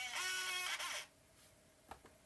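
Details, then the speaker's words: MacBook Pro A1150 slot-loading optical drive: a whirring motor run for about a second, then a couple of soft clunks as it ejects the disc unprompted; sounds nasty loading, spins up, then spits it out; drive faulty. "i don't understand why it spits it back out here it goes it's mad again yeah it spit it out"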